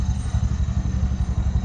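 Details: Bajaj BS6 petrol engine idling after a rebuild for a failed crankshaft bearing (connecting rod was fine). Low steady single-cylinder thump at an even idle beat, no knock or rattle: normal idle.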